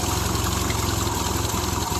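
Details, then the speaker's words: 1975 Triumph Spitfire four-cylinder after smog/EGR delete, air box refitted: low lumpy uneven idle, running a little rougher; owner suspects idle setting or air-fuel mixture. Rough idle. "running a little rougher so we'll be tinkering with trying to get everything squared away and running right might just be an idle might be air fuel we'll find out"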